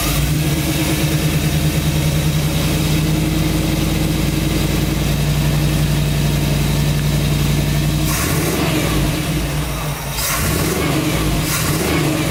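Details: 1965 Chevrolet C10 Fleetside truck with a modified 327 V8 and upgraded MSD ignition, started up: deep, steady lumpy V8 idle with an even beat and a couple of light blips; normal healthy idle.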